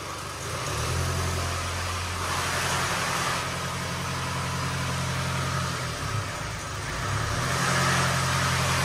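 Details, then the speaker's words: Range Rover Evoque Ingenium diesel, rebuilt with new tensioner, first start with no oil in the tensioner: steady idle with fast metallic rattle about four per second; chain rattle expected until oil fills. "it's going to Rattle a little bit when you first start it up there's no oil in the field oh there's none around the Chang so give it a go mate"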